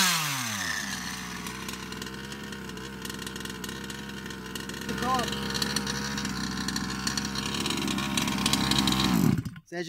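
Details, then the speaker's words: Baja 5B RC two-stroke after a carburettor swap: a high buzzing tone climbs quickly, holds a steady scream and drops off cleanly. It revs up with full performance, confirming the carburettor, not the piston ring, was at fault. Normal revving. "immediately it revs up it's got the performance oh it's definitely not the ring it is the cop"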